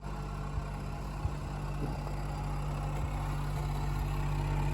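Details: Refrigerator running noisily: loud steady low droning hum with faint clicks; dust clogging slows condenser fan propeller, noisy fan motor, before cleaning and servicing.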